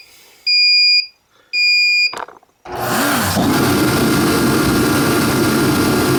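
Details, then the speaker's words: ProCom Magnum 110VT turbo heater (diesel/kerosene), after repair: two long beeps and a click, then the burner lights and fan settles into a steady even roar, normal startup. "so we'll give you a nice look at it here and show you how it starts up so you plug it up like this you're going to hear a countdown"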